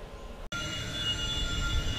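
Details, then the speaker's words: Chinese 2 kW diesel air heater (smaller Eberspacher copy) run on an LED pulse controller at 1.6 Hz fuel pump rate, about 80-degree temperature rise; even low burner rumble with steady fan whine, no surging or popping; normal running. "um running this at 1.6 hurts everything's looking good"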